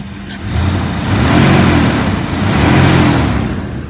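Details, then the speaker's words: 2002 Dodge Ram 3500 utility truck, 5.9 L gas V8, 160,333 original miles, jump-started and warmed about 45 minutes without overheating. Deep V8 note climbs smoothly through two even revs and settles back, no knocks or misses; healthy revving, smooth idle. "It revs up nice and it idles smooth."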